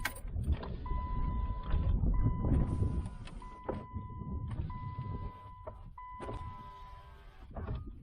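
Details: 2008 Jeep Liberty after the window control was replaced: steady mid-pitched window motor hum in several short runs, starting and stopping cleanly with no grinding. Window working properly.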